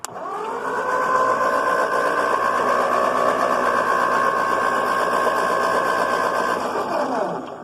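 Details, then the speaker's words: 1950 Ford 8N tractor, previously stuck engine now freed, fitted with new 12-volt coil, front-mount distributor cap, points and single plug wire with jumper, out of gear: even crank at about four beats a second never fires; no spark, suspected poor connection. "getting spark I'm not getting sparked because of this not getting good connection because I've only got freaking two hands"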